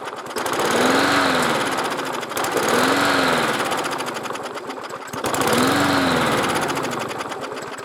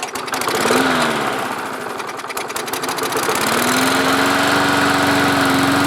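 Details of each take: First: Lawn mower that won't stay running, three pulls: each speeds up with a rising tone then sags away within about two seconds; starts then stalls. Carburettor not drawing fuel enough, pulling air; priming helped. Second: Lawn mower that would start and then die, restarted after a hand was held over the carburetor intake to draw fuel up from the tank. It catches, revs up, dips briefly, then settles into a steady, even drone; running normally.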